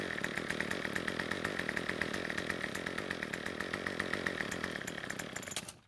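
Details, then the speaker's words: Craftsman two-stroke trimmer after tightening the two starter-cover bolts to seal the O-ring air leak: now starts on the pull rope, idles buzzy with fast regular ticking about five seconds, then stalls; owner thinks idle needs more fuel (L screw). "so it looks as though it now starts and runs and even though it stopped on its own I think we can fix it now since it stopped while the engine was idling I think the engine wants more fuel"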